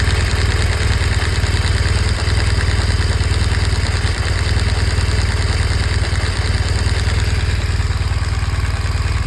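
Steady boxer idle with a fast, even light ticking riding over the low thrum; the source of the tick is not pinned down.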